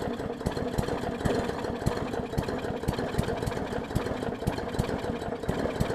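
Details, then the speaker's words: 2014 Bolens push mower with Briggs OHV engine, missing carburettor jet ball plug and bad needle and seat; very flooded, lumpy uneven idle with irregular popping about four to five a second, choking on excess fuel; running rich from flooding. "yeah i think it's literally just so much fuel it got in there that it's just trying to purge it out"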